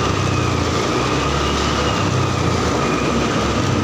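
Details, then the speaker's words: Honda Beat fuel-injected scooter that died suddenly from a blown fuse, now restarted after the fuse was dealt with: engine runs steady and even with a low hum, no misfire or cutting out; normal running. "tapi ini udah menyala ya enggak kayak tadi itu mati"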